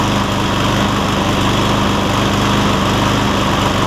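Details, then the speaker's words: Cub Cadet SR621 push mower with a Kawasaki engine: a smooth, even single-cylinder putter at steady speed with no misses or surging. The owner notes it takes 30 seconds to a minute to find the right fuel-air mix, then runs great. "I don't know how well that camera picks it up, but you can hear, I can hear at least, that it takes about 30 seconds to a minute for it to pick up the right rhythm or the right fuel air mix, and then it takes on off and runs great after that."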